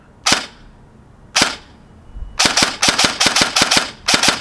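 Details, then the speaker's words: Echo1 P15 M4-style airsoft AEG with built-in programmable MOSFET/ETU, semi position set to binary; sharp crisp cracks, single then paired shots with clean gaps, two shots per trigger pull, then full auto unchanged. "see that two shots per one pull and then full auto we didn't change anything so should still be the same"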